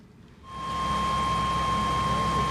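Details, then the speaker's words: Chevy 1500 V6 van, formerly no-start in cold weather, after spark plug and wire replacement; fires within half a second and settles to smooth, even idle with no misses or check engine lights; normal idle. "gotta run it. She's nice and smooth. No check engine lights on."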